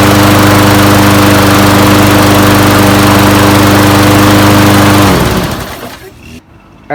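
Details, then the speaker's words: Toro Recycler 22in mower with Briggs & Stratton Quantum 190cc engine, after an oil change to SAE 10W-40: steady, even single-cylinder drone at constant pitch, then a clean wind-down at shutoff. Normal running. "guys so that was the easy fix just changed the oil and runs perfectly and it's in really good condition too"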